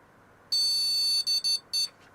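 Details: Vintage computer motherboard at power-on: one long high beep, then three quick short beeps, a POST error code with no picture; suspected video card fault, which showed artifacting earlier, not confirmed.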